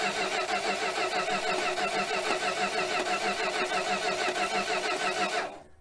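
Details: 1966 Dodge Coronet that sat 20+ years, starter previously jumped, starting fluid sprayed. Long rhythmic cranking at about three pulses a second stops with no catch. Prolonged cranking after long storage.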